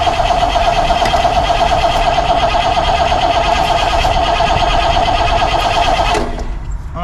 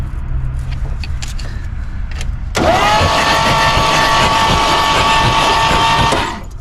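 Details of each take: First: 1964 Pontiac Grand Prix 389 V8, unrun for years, starter jumped and coil hot-wired: starter whirs steadily with even cranking pulses about three a second, never fires; crank no start, no spark found, points suspected (rusted rotor/cap tab found). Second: 1964 Pontiac Grand Prix 389 V8, cranked with all spark plugs out: fast, even starter whine, engine spins over smoothly with no compression chuffs; turns freely.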